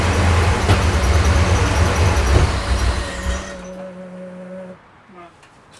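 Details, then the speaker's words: Porsche 928 V8 that guzzles fuel, started to set timing (at 10° BTDC, needs 23°): a steady low cranking churn for about three seconds that never fires, likely out of petrol again. "sounds to me like there's no Petrol in it again um I'll try a couple more times but that would be my guess"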